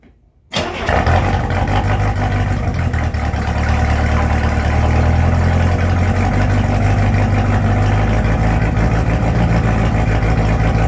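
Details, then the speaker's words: Problematic port engine of a one-of-a-kind speed boat, repaired (starter replaced, timing 8 degrees), water turned on: fires instantly from silence and settles to a steady, even idle with no grinding or misses; clean start after repair. "Fired right up. Fired right up. It's okay, let it idle. Let it idle. It's good. It's good. No, it's running fine."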